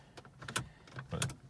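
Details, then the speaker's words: 2006 Saab 9-3 Aero convertible V6 turbo automatic with traction control message: key turned, soft clicks and whirs as steering lock cycles, then silence with no starter engagement; no-crank, cause unconfirmed. "then you try to turn the key crank it does nothing you can hear the the steering lock unlocking and locking"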